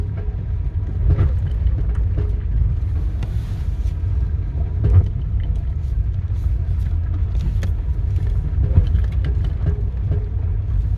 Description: My Micra K11 1.0L 1997 model clunks while accelerating in low speed. Only when I press the gas pedal for moment.